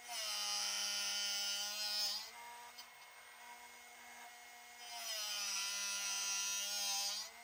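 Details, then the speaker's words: Drill bit sharpener set to 135 degrees, bit rotated without pushing down: high hissing grind for about two seconds, then drops to quiet motor hum when grinding finishes; normal sharpening. "And you'll hear it when it, the grinding is finished on the drill bit itself. Let me get that white line lined up, turn the machine on. I'm not pushing down. I'm just simply rotating."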